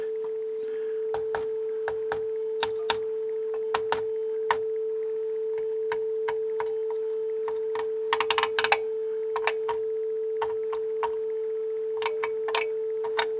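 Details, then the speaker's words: Sony TA-F40 amplifier on speakers with a tone source: steady test tone with irregular buzzing crackles and pops as the channel cuts in and out; intermittent dropout. "You hear it buzzing as it goes in and out."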